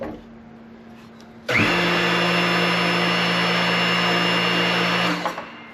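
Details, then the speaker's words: New bearing just pressed into the transmission of a Caterpillar RD4 diesel crawler (1935–1940), after replacing a crispy-sounding worn one: steady, even hum and smooth whir with no grinding or clicking, the way a bearing should sound. Normal bearing rotation. "Brand new bearing. Notice how there's no noise? That's how bearings are supposed to sound."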